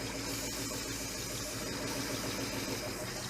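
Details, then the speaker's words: 1969 Chevy Suburban with junkyard big-block V8, running after priming the carburettor: steady, even idle with no misses or knocks; sounds healthy, with a compression test to follow. "I'm going to say it's good. Yeah, I think it's all right."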